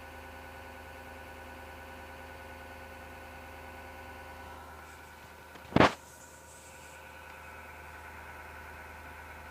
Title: PC Grinding Noise 07.03.2019 Part 3